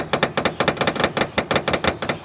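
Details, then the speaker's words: Honda Accord at idle, as when stopped at a light: quick, uneven metallic tapping, about eight per second, over a faint idle from a loose hood rattling; fixed by tightening the hood. "you can have a a rattling noise that comes from your hood being loose"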